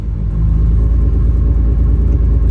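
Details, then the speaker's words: Mitsubishi Evo 9, first startup after a transmission replacement (came in for a throwout bearing, triple-disc clutch): steady, even low rumble with no knocks, ticks or whine; normal idle. "first startup [Music] all right sounds good let's take it for a ride"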